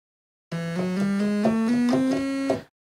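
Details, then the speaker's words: Realistic Concertmate MG-1 (Radio Shack Moog) after op-amp replacement, still needing alignment. Notes climb in small, uneven steps instead of clean octave jumps; oscillator one is bad, not tracking pitch. "No. So, oscillator one is bad."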